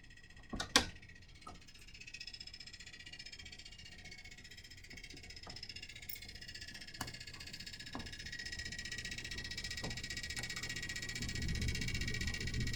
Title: HVAC Rattling Noise